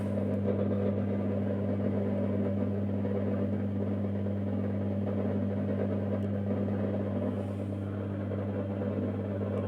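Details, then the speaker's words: Mazda Junior G light fitting with a halogen-floodlight-style reflector, warming up: a steady low hum with a constant buzzing drone, as the reflector vibrates. "Je pense que vous avez très bien entendu le boucan que fait le réflecteur."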